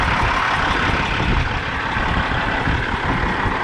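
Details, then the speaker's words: 1998 Freightliner Classic XL diesel truck, 826,000 miles, fuel primer and check valve recently done; after cranking with smoke from the tailpipes it settles into an even, deep idle with no knocks or misses; normal. "Sitting idle. The truck's fully warmed up, sits at about 35 psi idle, hot idle."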